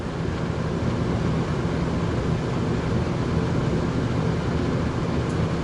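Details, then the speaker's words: RV rooftop A/C unit with Micro-Air Easy Start, on a 30 A generator, about 92 degrees inside, switched to cool high: steady low rumble and airflow hiss, no knocks or squeal; fan running normally before compressor starts. "then we're gonna go ahead and let this kick on it'll be making some noise and then I'll have to listen for when the compressor kicks on"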